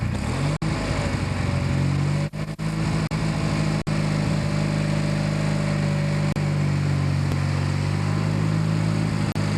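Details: Kohler 16hp Magnum on a Yard Pro lawn tractor, test run after carb cleanup and reassembly, mixture screws at 1 1/2 turns each; steady even drone holding constant speed without hunting or surging, running healthy.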